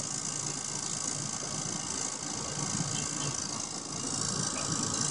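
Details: 2004 Toyota Prius parked with the car turned off: steady high whirring buzz with a faint ratchety pulse that keeps going for a while; the ABS pump is running continuously because the ABS unit is leaking, a common Prius problem.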